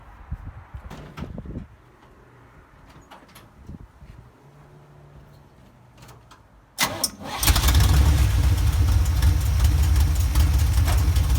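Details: 1977 Chevy K10 pickup with a 350 small block V8, after welding a cracked header, reinstalling the head and fitting new gaskets to fix an exhaust leak: cranks briefly, catches, settles into a deep, steady idle with no ticking; normal start and idle.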